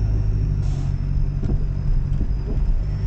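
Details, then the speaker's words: Lancia Delta HPE driven over speed bumps on a rough road. Over steady road rumble come sharp dull knocks from something loose underneath, getting worse. The owner wondered if it's the exhaust system; cause unconfirmed. "yeah something sounds very broken and I think it's getting worse by a minute which is not good at all"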